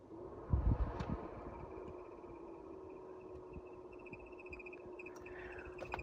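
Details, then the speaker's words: 1990 Mercedes W124 Tempmatik HVAC, blower motor struggling to turn: low fan hum with a steady thin high squeak after a few start-up knocks; the infamous blower motor squeak. "and there's that infamous squeak which drives you absolutely nuts when you're driving around"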